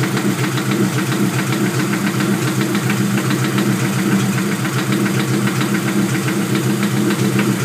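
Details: Honda LS-series engine with VTEC conversion at steady idle, sharp regular knock every few revolutions from the lower end; owner suspects rod knock but is unsure.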